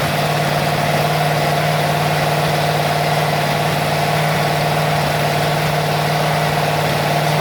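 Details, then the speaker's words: Freshly rebuilt Ford 302 V8 on first runs, with little ignition advance set: low, quiet idle with an uneven, stumbling beat, missing on a cylinder. "Misfire, I can hear it missing."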